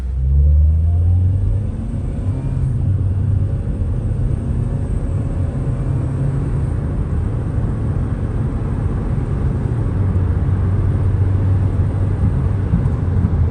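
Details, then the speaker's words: Cheap used Honda driving after replacing the VTEC assembly housing for code P2647 limp mode (previously stalled and would not rev past about 3,000 rpm): deep, even engine rumble with road noise, smooth as rpm rises; no codes, no check-engine light. "Yeah, it's definitely running nice now. As the RPMs goes up, smooth run."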